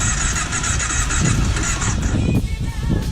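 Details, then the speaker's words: Off-road machine just brought back to running, with a new exhaust, right after a cold start: uneven, lumpy running kept alive only by holding the throttle because the choke isn't working. Rough running from a faulty choke. "Yeah, guys, it looks like I'm gonna have to keep this thing running with the throttle. The choke's not wanting to work."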